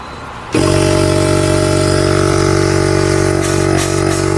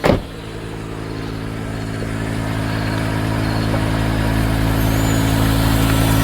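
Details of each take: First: 2011 Mercedes GL450 airmatic compressor unit switched on via scan tool functional test: kicks in abruptly and holds a steady, even hum with firm buzzing pulse; builds enough air pressure, pump is good. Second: 2011 Mercedes GL450, engine idling, front end low and bouncing: steady droning air suspension compressor runs on without cutting out, trying to raise the vehicle, which doesn't rise; a leak is heard, suspected leaking air strut.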